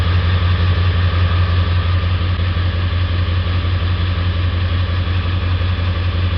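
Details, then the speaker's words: 1999 Ford 7.3 Powerstroke diesel, warmed up, idling with a regular lumpy beat about three times a second; was hard to start cold with black and white smoke; cylinder contribution test shows cylinder three dead from a faulty injector. "cylinder three so we have determined that we have a dead misfire on cylinder three it is not contributing to the rest of the cylinders"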